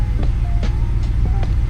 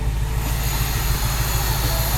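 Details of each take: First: BMW E53 X5 4.8is with N62B48 V8 after DISA valve replacement; previously idled rough with a howl after hard driving, and a popped-off PCV valve diaphragm cap was also found. Now a deep, steady, even idle with no howl or hunting. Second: BMW E53 X5 4.8is, N62B48 V8 with electric DISA intake-runner motor, idling around 800 rpm after hard driving; steady low throb with uneven pulses and hissy top; rough idle, owner suspects failed DISA motor given months of DISA motor fault codes.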